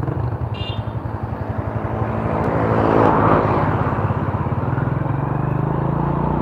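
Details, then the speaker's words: Honda Supra motorcycle from Purworejo sent in with many problems: steady small single-cylinder beat with a thin whine rising with revs, compared with another Honda that also whines; transmission gear whine. "nah kita punya perbandingan nih langsung sama Honda nah ini nangis juga ya Pak"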